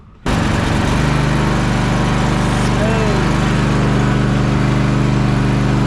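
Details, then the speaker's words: Toro TimeCutter zero-turn mower right after an oil and filter change with 5W-30: engine catches quickly and settles into a steady, even drone with no misses or knocking; normal running. "I'm going to start it up, make sure everything still runs uh just fine, and then we should be good uh for the rest of the year."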